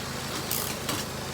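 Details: 2003 Honda CR-V after a timing chain repair: steady, even idle with a smooth hum and no knocks, ticks or misses. Owner hears a possible small exhaust leak at the rear. No fluid leaks, no smoke; normal idle.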